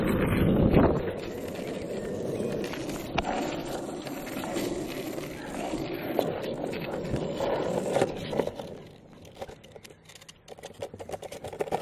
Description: My longboard is making this 'rattling' noise, any ideas what it is?